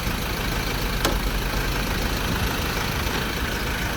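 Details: Ford Ranger pickup idling right after being jump-started with a 70mai jump starter following a discharged battery: smooth, steady idle hum with even low rumble, no misses, knocks or rattles; normal idle.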